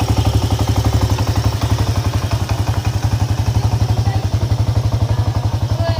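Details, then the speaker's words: Honda EX5 Dream engine at idle: heavy, even, harsh thumping about four times a second; engine knock possibly from a loose flywheel (magnet) nut or loose cam sprocket timing bolts. "nat nat magnet ini longgar not magnet ini longgar boleh jadi suara engine bunyi kasar macamnya"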